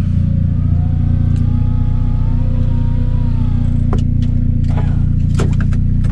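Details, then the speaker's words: Miata drift build after an engine rebuild, with the misfire fixed, warm after a drive and idling. Steady idle with a light metallic buzz and sharp taps; the exhaust is hitting the chassis and rattling. "this is a rattle it's hitting right here in between the the chassis and the actual it's also chopped it up"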